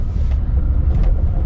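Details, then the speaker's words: Maruti Alto 800 on CNG, 11 months after the CNG fitting, after the misfire fix: it pulls away from standstill in second gear with the AC on and a single occupant, a steady even rumble with no stumbling. "क्या बढ़िया प्यार से उठ रही है गाड़ी। मजा आ रहा है। सेकंड पे भी उठ रही है।"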